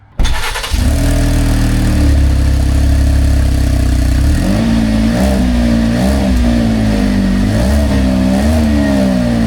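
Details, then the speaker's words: 2023 Chevy Traverse petrol engine starting and revving with a loud, deep, raspy exhaust note after driving over something; exhaust pipe separated from its bracket underneath, exhaust leak, repaired by rewelding. "this car drove over something and afterwards the customer started hearing abnormal noises from the car. So, I already inspected this car and found an exhaust leak."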